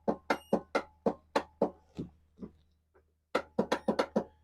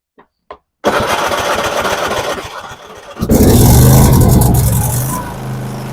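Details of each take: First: Craftsman YTS4500 riding mower with a Kohler engine, no-start: sharp clacks about four per second in two bursts and the engine never turns over; the starter is failing and gets replaced. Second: Craftsman YTS4500 riding mower with Kohler engine after starter replacement for a no-start; starter cranks briskly for a couple of seconds, engine catches strongly and settles into a steady even run; normal start.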